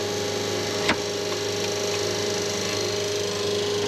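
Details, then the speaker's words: Schenker Zen 100 Touch watermaker powered by solar panels, first startup at about six bar building towards six to eight: smooth, steady hum at constant pitch, no knocking or surging, one brief click; pump running healthy and quiet. "so it's doing well right now it's sounding good everything is running good pump is very smooth i they moved very quiet compared to the last ones that we had"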